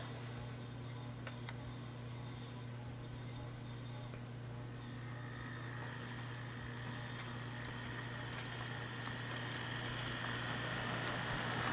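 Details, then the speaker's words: Athearn P42 model locomotive no. 156, test run after lubrication while hauling 3 cars as a light load: soft steady motor hum climbing slightly with speed, no grinding or stutter. Runs smoothly. "Alright, well, we ran it, and ran pretty good 3 times in a row, so I think it's safe t"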